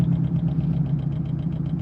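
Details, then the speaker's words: Subaru 08/09 STI rally car on dyno with 36 mm restrictor, stuck at five pounds boost: loud engine with rapid hard metallic rapping over the rumble; injectors banging away, tuner suspects spun bearing. "banging away holy [ __ ] it sounds like it's got a spun bearing"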